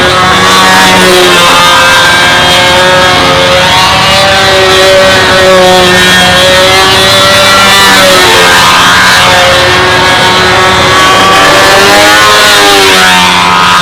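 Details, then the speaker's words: RC model airplane engine on takeoff, set very rich to get lap times right with this prop: buzzy note wavers and sags in pitch instead of holding clean; rich-running stumble, prop pitch to be reduced. "I went back and forth with this prop on 3 or 4 different flights, and to get this lap times right, I had to run it so rich that you can hear it rumbling and stumbling on takeoff."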